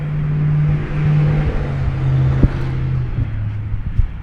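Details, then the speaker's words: 2012 GMC Terrain 2.4L EcoTec after timing chain and balance chain replacement: starts cleanly and settles into a smooth, steady low hum with no knocks or rattles; sounds like a healthy engine. "One last time here for a nice smooth start. So now that sounds like a nice healthy engine."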